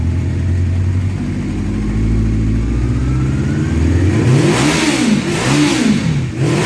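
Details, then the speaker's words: 1984 Honda CB700SC Nighthawk after carb clean, run warm to burn off soot, smoke from pipe; a few revs climb cleanly and settle, smooth even pull, no misses, knocks or rattles. Normal revving. "so I'm going to start it up and give it a couple revs here you'll see the the stuff burning off and coming out of the pipe"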